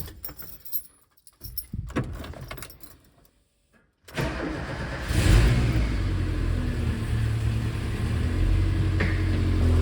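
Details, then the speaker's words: Subaru EJ boxer engine in a VW Syncro Doka conversion, after replacing bad hydraulic lifters and fresh oil: cold start settling to a smooth, even idle; slight remaining lifter noise expected to vanish when warm. "you can still hear it a little bit but thats okay because the engine is cold the remaining little noise will also disappear when engine has temperature"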